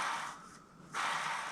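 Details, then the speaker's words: Bearing spun by hand during engine removal and clutch install on a 2GR-swapped 1992 Toyota MR2 SW20: dry, gritty hiss, rough and unlubricated; a worn bearing that needs replacing. "well we got to get a new one of those i don't like the sound of that one's real dry that's got to be replaced"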